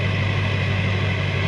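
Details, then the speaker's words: 2004.5 GMC 2500 HD LLY Duramax, 245,903 miles, deleted and tuned with a new CP3 fuel pressure regulator and lift pump, about 45°F: low, steady exhaust drone at one even pitch, no hunting or surging. Clean, stable diesel idle. "nice consistent exhaust note she's been running good"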